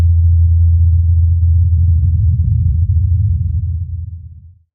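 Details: Mars Ingenuity helicopter's rotor blades during its fourth flight, recorded by the Perseverance rover; steady low drone that fades smoothly away as it leaves, with no beat or rattle; normal rotor.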